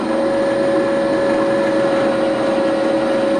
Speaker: right now before I ball this one out I'm going to drill these two out probably if you can hear that machine funny noise